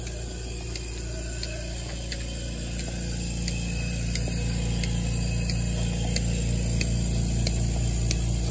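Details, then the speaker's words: Simple Pulse milking machine switched on: crisp, even clicks two or three a second over a steady low hum. Normal pulsator clicking, showing good suction and that it is ready to use. "so we're going to turn this on and if you hear the clicking noise that means that we have good suction and we're good to go"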